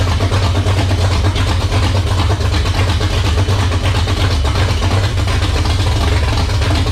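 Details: First start of a 360 small-block stroker in a 1978 Dodge Warlock truck, idle turned up: deep, strong, even V8 rumble and crisp revving, no misses or knocks. Healthy, with 75 psi oil pressure at idle (high-volume pump) and just over 80 when revved.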